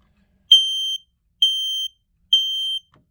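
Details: Smoke alarm test-button beeps: three loud high-pitched half-second beeps about one per second, on a detector thought to be ionization type by a fire extinguisher; the alarms are suspected to be getting old.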